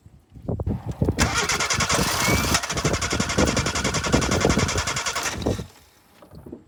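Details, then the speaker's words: 1988 Suzuki Samurai, lifted, low oil, starting fluid sprayed in intake: steady cranking about three to four beats a second that never catches; fuel gauge reads empty, out of fuel. "all right so it wants to start but it doesn't and the fuel gauge says empty so I'm going to grab some fuel and put some fuel in it"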